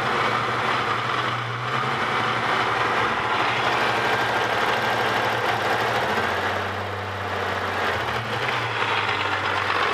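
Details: Holden VS Series 2 Ecotec engine, about 400,000 km, idling: light uneven rattling tick over low hum, seems internal; cause not pinned down; owner considering replacement lower-kilometre engine.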